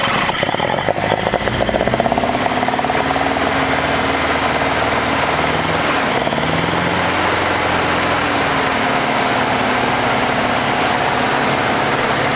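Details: 1981 Toyota Hilux RN46 with 18R-G engine, first start after at least three years sitting: steady fast even clatter with smooth constant beat, no misses, good compression; engine running evenly.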